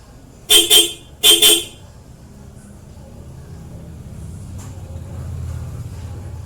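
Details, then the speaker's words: Ford EcoSport stock horn tested alone before comparison with a Bosch Europa horn; two short bright honks with clean steady tone at full strength: normal horn. "Alright, so that's the stock horn."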